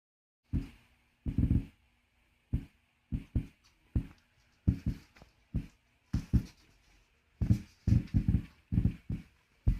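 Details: Klipsch Flexus Core 200 with a new subwoofer, audio cables, power conditioner, smart TV and optical input: irregular low thumping pops, several a second in bursts; subwoofer popping persists after replacing upstream and downstream components, cause not found.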